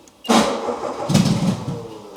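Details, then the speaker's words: No-start on an old project car: engine not firing, so fuel is poured down the throat to test fuel versus spark; it catches suddenly into a ragged, surging run, confirming a fuel supply fault, not spark. "I'm just going to give it a bit of fuel down the the throat just to see if it is because it could also be a spark related if it fires up now then it's fuel of course oh yeah"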